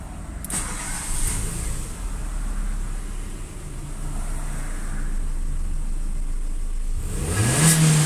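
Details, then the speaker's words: Renault (Sandero/Clio) after fuel alcohol-rate adaptation via scan tool: steady low idle, then engine starts and revs smoothly with clean rising tone, no stumble; accelerating normally. "tá normal tá acelerando normal e não mexer em nada"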